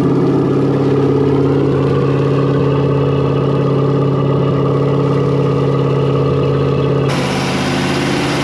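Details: New built 350ci Chevy V8 in a 1991 Malibu Competition ski boat: oil pressure good, manifolds normal temperature. Smooth, even rumble holds a steady fast idle with no knocks or misses, then eased back slightly. Healthy.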